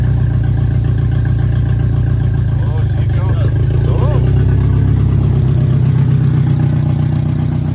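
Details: VW Mk2 Scirocco 16v with CIS injection, first run after 20 years abandoned, no exhaust fitted: loud open low rumble with lumpy beat that never settles; rough hunting idle, cause not pinned down.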